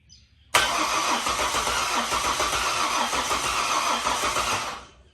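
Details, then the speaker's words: Ford BF XR6 with swapped-in Barra engine, first start attempt: steady fast starter churning about four beats a second, never catches, battery sounding weak; owner suspects the MAP sensor (different part number) or something forgotten. "no no go well it's all in and turning over so now it's just a matter of figuring it out"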